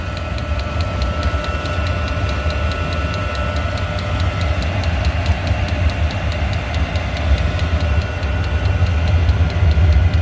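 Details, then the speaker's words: Diesel heater just reinstalled after teardown and deep soot clean (owner suspects mixed fuel caused failure); on restart, deep steady roar with regular pump ticking, light smoke burning off residue in burn chamber, still purging air bubbles, warming up. "I'm just smoking a bit though. I wish that would clean itself up. Yeah, it's still working out the air bubbles."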